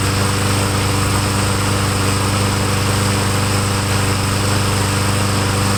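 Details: Craftsman lawn mower after carburetor work, air cleaner cover off, primed with two-stroke mix, smoking: steady even drone at constant speed without surging or missing; carburetor now feeding properly, normal running.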